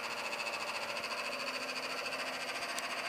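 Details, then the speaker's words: AC unit after cleanup: steady whirring hum with a rough, pulsing rattle about three times a second; condenser fan making a racket, owner suspects a failing fan motor bearing and a new motor needed. "Making some racket right now. Probably needs a new fan motor. Sounds like the bearing might be going."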